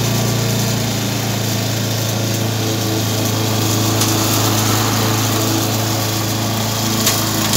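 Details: Briggs & Stratton 3.5 hp engine, warm. Steady, even buzz with no misses, surging or knocking at constant speed; normal running.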